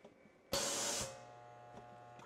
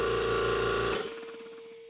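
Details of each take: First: Air compressor shut off mid-cycle by smart switch, pressure trapped between check valve and motor: short hiss then steady low electric hum with no spin-up; motor stalled by trapped head pressure. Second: Air compressor on a smart switch with added electric unloader valve (55 drill-size orifice, manual outlet valve): switching off gives a short clunk then sharp hiss tapering as the line between check valve and motor bleeds down. Normal unloader venting at shutoff.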